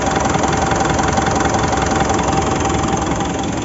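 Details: Mitsubishi Montero diesel misfiring with no check engine light or fault code, fuel rail pressure reaching 50,000 kPa at idle: steady idle with slightly uneven chuffing beat about 160 a minute; injector suspected.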